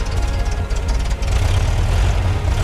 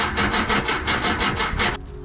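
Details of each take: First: 1978 VW Type II Bus flat-four, rebuilt after sitting 20+ years, runs with full exhaust and heat shield fitted, timing and vacuum lines adjusted; deep, steady, even idle without stumbling; running normally. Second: 1978 VW Type II bus with a rebuilt engine and 3-speed automatic, sat 20+ years, fuel smell present: steady cranking pulses about four to five a second that never catch; crank no start with ignition timing 180 degrees off.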